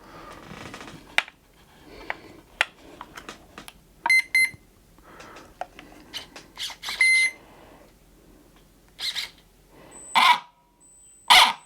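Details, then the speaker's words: Arrma Fury RC truck right after fitting a new Spectrum Firma brushed motor, run on the bench: loud, high-pitched screaming squeal in bursts as the motor spins up; owner suspects a worn spur gear. "That does not sound good. It's very loud. I'm wondering if I'm going to have to get a new spurgeear eventually. It's kind of what it's sounding like to me."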